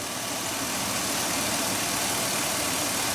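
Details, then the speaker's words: LS-powered GM truck engine at idle, heard up close while checking for a brake leak: smooth even idle, soft steady hum, no knocks, ticks or misses; quiet, healthy engine. "So while it's thinking about leaking, I thought I'd bring you up here just so you could hear how quiet this motor is"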